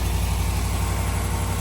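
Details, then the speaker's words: 2021 Ram 1500 Limited Longhorn 5.7 Hemi eTorque, idling after the cracked exhaust manifolds were replaced with BD Diesel manifolds: steady, even low rumble with no ticking or puffing, quiet like a new truck; normal idle. "It's so quiet. That's perfect. It's a new truck again. Sound like a brand new truck, buddy."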